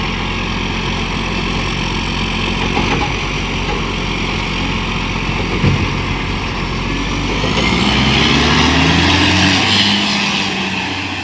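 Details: Euro6 diesel garbage truck idling and pulling between lifts, with a steady puffing tick about four per second over the rumble; exhaust leak suspected, not confirmed.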